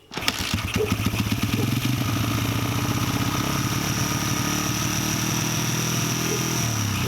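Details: 1989 Honda XR100 dirt bike single with a new carburetor and throttle cable after both were seized: fires right up and settles into a steady, even idle with a crisp exhaust beat; running well.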